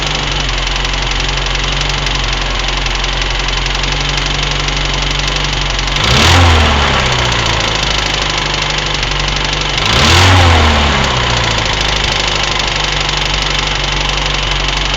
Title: Посторонний стук двигателя узам